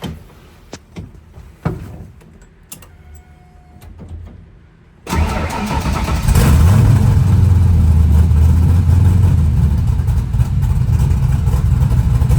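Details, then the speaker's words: Fox body car after an oil change, spark plugs and a clamped rear vacuum line. A few clicks and cranking, then it catches into a steady, even, rowdy idle with a clean blip, sounding much better. Normal running. "oh yeah that sounds way [Music] better little a Rowdy engine man"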